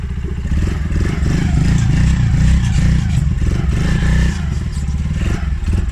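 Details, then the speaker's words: Polaris Outlaw 50cc quad, revived by cleaning the carb and a partly blocked pilot jet: the small single pops along fast and steady on choke with revs held up and no misses or knocks; runs fine. "start because I didn't have the choke on. I've just put the choke on there, that's why the revs have lifted."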